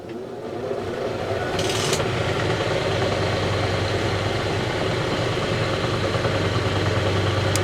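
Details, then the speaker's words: Vintage Lortone NS/8 8-inch lapidary arbor after restoration, first power-on without water; motor spins up within a second to a smooth even hum with no knocking or wobble. Normal running. "That's actually better than I thought it would be."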